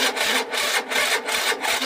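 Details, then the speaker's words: Peugeot Speedfight scooter after a new fuel filter fixed a vacuum fuel fault: electric start attempt gives harsh rasping bursts about three a second with no firing; the starter motor is worn out, though the engine starts with one kick; faulty starter motor. "no that's that's the start out that's knacked um but one kick one kick no easy start just a new filter"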